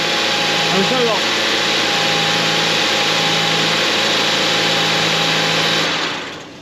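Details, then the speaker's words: 2011 Mazda CX-7 first start after engine replacement, after plugging in a forgotten sensor: steady, even idle with a smooth hum, no knocks or misfires, for six seconds before shutting off; normal idle. "And yeah, this car is finally done, and it sounds like it's running really good for the way that sounded."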